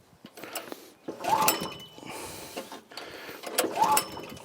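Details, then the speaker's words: Troy-Bilt tiller repowered 14 years ago with a 6.5 HP 212cc Predator engine: three pulls, the engine turns over with rapid ticking but never fires; owner suspects the spark plug was not tight, later finds no spark; cranks but no start. "First pull. Second pull. Third pull. Doesn't sound like it's going to start. Nope, I don't think it's going to start, folks."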